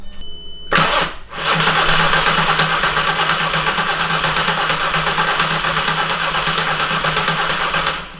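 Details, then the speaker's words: 3.6L VR6 swapped into a MK4 Jetta GLI anniversary edition, cranking after the fuel system primed and flushed: starter churns steadily for about seven seconds with an even compression beat but never catches; cranks, no start, missing something. "it's missing something"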